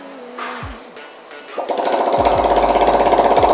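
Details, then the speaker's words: Motorcycle that stalled after riding through floodwater, after a spark-plug check; after a couple of cranks it catches and settles into a fast, even putter with music over it; normal running. "masih hidup dibawa ke depan motornya sudah hidup tapi kita bawa ke depan dulu"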